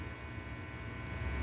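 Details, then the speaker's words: Peavey Raptor guitar, neck pickup alone with a switch off: a steady low 60-cycle mains hum with a faint buzz sits under the idle guitar and never changes, mains hum getting into the signal. "So you notice that 60 cycle hum. I'm not sure if you can hear that."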